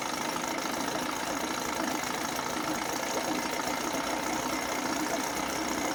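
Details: 1980 Chrysler Sea King 15 hp two-stroke outboard, cold, after replacing ignition coil to cure quarter-to-three-quarter throttle misfire: steady fast, even buzz with no stumbles or dropouts; running clean on both cylinders.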